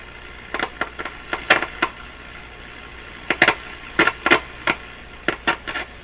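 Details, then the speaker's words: Nordmende Boheme C tube radio during final checks, with a weak filter capacitor suspected for faint hum: irregular crackles and sharp pops in uneven clusters over a faint hiss, cause not yet found. Static and crackling. "all that static is that something"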